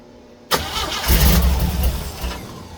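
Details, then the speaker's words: 1936 Oldsmobile engine, not run in 25+ years, first start attempt: the starter churns with a steady, labouring rhythm but the engine never catches. Crank, no start; fuel likely not pumped up yet. "It's a throttle job. All right. Uh, it probably hasn't pumped the gas up >> probably."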